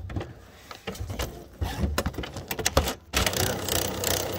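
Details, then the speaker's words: HP Photosmart 7520 showing an out-of-paper error: the pick arm drops down and cycles with short motor whirs and clicks, but no sheet feeds. Paper pick failure; dirty or worn rollers or faulty feed gears suspected, not confirmed. "that drops down and tries to collect the paper but of course it"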